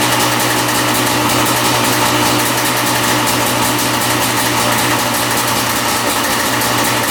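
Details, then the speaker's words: 1995 Yamaha Banshee 350 two-stroke twin, revived after 18 years in a barn, after idle adjustment with air screws at 1.5 turns on each carb: steady, even idle with a crisp high buzz and no stumbling. Carbs balanced, idles cleanly. "there we go we got idling perfectly now one and 1 half turns on the air screw for each carb oh yeah that sounds really really good"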